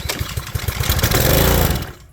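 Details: Pressure washer small engine that ran poorly, oil overfilled, choke off, after starting-fluid spray: rapid pull-cord cranking chugs about two seconds, never catches, then fades; won't fire.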